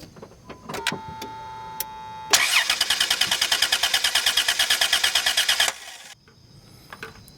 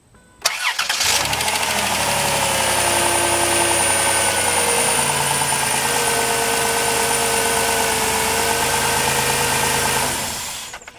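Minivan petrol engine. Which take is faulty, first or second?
first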